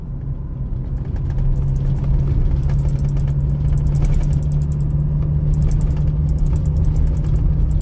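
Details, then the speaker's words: 2021 Toyota Hilux pickup with about 50,000 km of farm work, recorded in the cab while driving over rough ground: only steady low road rumble, no squeaks or rattles; cab and dashboard tight (a later tick was traced to the radio's weight). "Viram aí, guerreiros? Nada."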